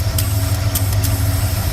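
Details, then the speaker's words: Truck engine with only 34,000 miles that sat for years, idling: a few irregular, sharp light ticks mistaken for lifter tick or exhaust leak; the PCV check valve spring bouncing back and forth, easy to replace. "And it's actually doing it in here. The check valve and that spring is bouncing back and forth."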